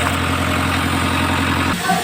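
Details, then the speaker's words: Isuzu 4HL1 diesel before repair: a long crank and rough running that seems to cut out, and hard restarting that needs the fuel pump primed. A low, uneven idle beat stumbles and shifts near the end, traced to a faulty crankshaft position sensor. "mahaba ang cranking at saka magtag ang andar ng makina balik bal ayan nakita niyo naman at napakinggan mahaba ang cranking at p nag ka ay magog at parang maglagot ang andar ng"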